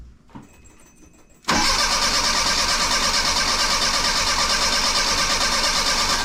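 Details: 1984 Bertone X1/9, new fuel pump holding about 36 psi, spark confirmed: long rough cranking with weak uneven firing that never catches; injectors 1, 2 and 4 deliver no fuel, only number 3 sprays.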